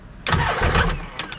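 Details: 2005 supercharged Sea-Doo jetski after a new starter was fitted, tested out of water. A short, sharp burst of fast cranking turns the engine over freely; the start button may be faulty.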